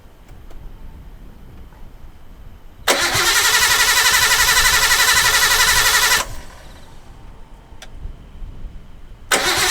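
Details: Restored Nissan R32 Skyline's first start after revival: it catches quickly, runs strong, drops away, then fires again cleanly; a rattling noise is heard, judged not from inside the engine; catalyst not yet fitted.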